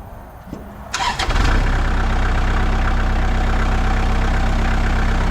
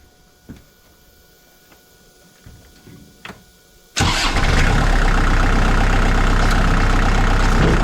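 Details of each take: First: 2002 Kubota MX5000 DT tractor, about 960 hours, after a new hydraulic filter cured a squealing pump and dead, jerking hydraulics: engine fires and settles into a steady, even beat with no squeal or whine; hydraulics work normally. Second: 2002 Kubota MX5000 DT tractor with a front-end loader, leaking hydraulic fluid that is being refilled: the diesel runs loud with a harsh constant squeal over it as the hydraulic pump starves through a clogged filter; steering and loader lose pressure. Fix: change the filter.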